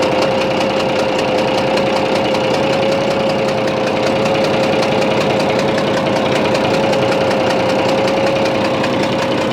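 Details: Bizon A-01 diesel at steady idle: rough snorting knock with a constant whine, reacting to loosening the No. 3 high-pressure fuel line; odd noise also at shutdown; owner suspects third injector or cylinder head; cause unconfirmed.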